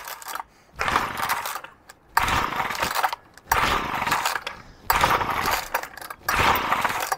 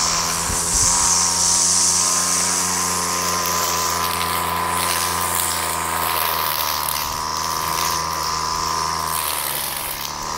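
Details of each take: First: Old basic two-stroke pull-cord strimmer, unchoked, with a faulty choke system: repeated short buzzy bursts of catching then dying, about one every 1.5 seconds, and it won't keep running; hard starting. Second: Aging two-stroke pull-start strimmer after carburettor cleaning and a scotch-brite pad air filter: holds a steady high buzz cutting thick growth without bogging or cutting out; normal running under load.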